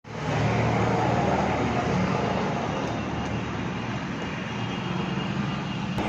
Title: jupiter khtrnak vibration and sound problem